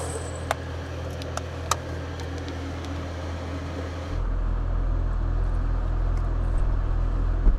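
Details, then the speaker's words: 12V air conditioner in a kei camper van at maximum fan setting: a smooth, even fan drone that steps up louder and holds at full airflow, with no rattles or grinding; noisy at max but normal operation. "Nó ồn ở chế độ mạnh nhất, vì vậy tôi sẽ giảm nó xuống một chút."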